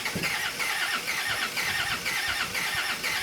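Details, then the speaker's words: 1999 Land Rover Discovery TD5 auto diesel: starter cranks unevenly about two turns a second with no firing, right on the edge, needing more priming; battery and jump pack killed by endless cranking; crank no-start from air in fuel system. "right on the edge there, so it just requires a little bit more priming again, and then she will fire. After endless amounts of cranking, we have killed the battery and the big jump pack that we had."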